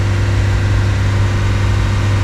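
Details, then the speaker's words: 2018 Nissan Qashqai J11 1.6 dCi 131 hp diesel during scanner-forced DPF regeneration outdoors, cabin fan at max and lights on, idle held above 3000 rpm; steady fast even drone, no surging; raised idle during DPF regeneration. "Ok, écoutez les gars, le moteur tourne au ralenti est supérieur à 3000 tourne puis effectue la régénération forcé"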